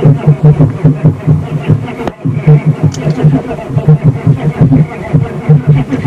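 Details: 6.5L diesel at -5 degrees, no fuel additive, failed block heater not working, needing a jump start: slow, laboring cranking with even compression pulses about five a second, never catching; took about 1 hour 45 min to start.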